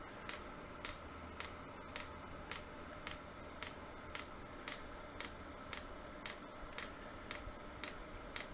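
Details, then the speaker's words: 8kW Chinese diesel garage heater being primed: sharp, even ticks about twice a second from the fuel dosing pump drawing diesel up the line; normal priming. "so give me a few seconds to get that all ready and as you can see it's clicking now that's it sucking anything up"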